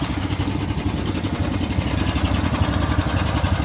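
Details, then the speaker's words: Karakat all-terrain vehicle started with ignition, fuel tap and choke/enrichener: small single-cylinder petrol engine idles fairly evenly after a cold start, with no knocks or misses, running normally. "Ещё сильнее запуск. О, всё, гудит."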